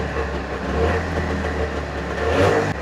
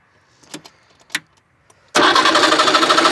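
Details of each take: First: 1989 Trabant 601 S Combi, 600cc two-stroke, revived after sitting on a farm, small drip noted; busy even two-stroke buzz rising and falling cleanly with throttle, no misses or knocks, running healthily. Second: 1989 Trabant 601 S Combi, 600cc two-stroke: cranks steadily at about three beats a second with no firing and no spark at the plug; points on one cylinder not working, ignition fault suspected.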